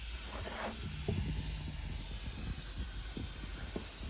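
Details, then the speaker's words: Tial MVR wastegate on bench under air pressure (up to two bar, valve fully open): steady soft hiss of air bleeding past the valve stem, which Tial says is normal; gate was removed after boost spiking to 30psi on track. "according to tile hearing air come through through the stem in here is normal"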